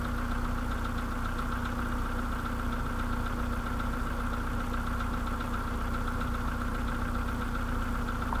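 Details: Idle on a 2013 VW Polo sedan with the CFNA engine at 192,000 km: a light, uneven tapping about 1.5 knocks per second over the engine. Piston slap.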